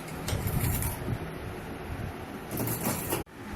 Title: Panasonic Fuzzy NA-F551PV washing machine vibration & jumpping problem suspension rod